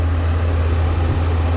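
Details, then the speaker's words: 2002 Chevy S10 after swap to a 3-core aluminum radiator with dual electric fans on a thermo switch (185° on, 175° off), idling: deep steady whooshing drone as the fans finally kick in and run smoothly; fans working normally. "oh okay guys the fans finally kicked in"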